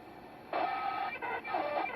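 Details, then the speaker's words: ICOM IC-7100 (issue also affects IC-7300) receiver: harsh rushing hiss with faint steady tone as receiver is tuned to 740 kHz, matching the PWM audio amplifier's switching frequency measured on inductor L231/L232 at 12.8 V supply; switching amplifier RF interference, fixed by swapping in a linear amp. "if I put a scope Probe on the inductor we can see that the switching frequency is 740 khz right now"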